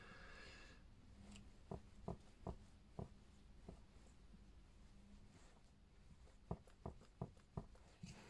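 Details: RockShox Super Deluxe rear shock, freshly rebled with no air can, knocking under small quick compressions: sharp, hollow clicks in uneven bursts. Traced by elimination to the damper circuit; replacement with the high-flow 'Hot Dog' piston is suggested.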